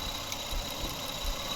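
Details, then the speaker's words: Toyota Camry after repair of bad ignition coil and mass air flow sensor (misfire, stalling, long cranking): quiet, even idle with soft regular pulses, engine now smooth, no misfire. "ওকে এখন আলহামদুলিল্লাহ কাজ করতেছে দেখতে পাচ্ছেন আর গাড়ির ইঞ্জিনও smooth হয়ে গেছে"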